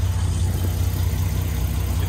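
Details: Nissan GQ Patrol after fixing a small, earlier smoking wire that caused a no-start: steady, even low rumble at idle with no misses, knocks or stumbles; idling smoothly and healthy.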